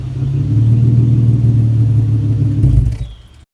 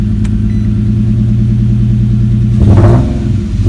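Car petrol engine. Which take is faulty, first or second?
second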